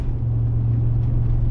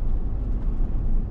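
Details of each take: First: Chevy Tahoe off the gas while driving, after front differential rebuild: deep steady whirring drone that changes with speed, exactly the same as before the rebuild. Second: Chevy Tahoe on the road at about 35 slowing down, after front differential rebuild and two new Moog front hubs: only a smooth low road rumble, no growl or hum rising with speed; the hubs sound healthy.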